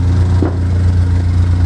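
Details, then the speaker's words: Pontiac Solstice, first start-up after an EFR turbo upgrade, no codes: an even, steady low idle with no misses, knocks or ticks, plus a brief odd spooling-like rise in pitch; otherwise the engine sounds normal with no leaks. "anyway around here everything sounds good everything looks good"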